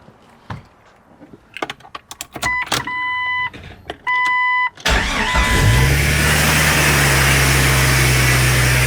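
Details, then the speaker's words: Jeep XJ first start after parts swap from totaled Jeep: chimes, engine catches and idles steadily with loud constant hiss, like the world's worst vacuum leak, seemingly near throttle body; later found a vacuum leak. "What was that? What sounded like the world's worst vacuum leak?"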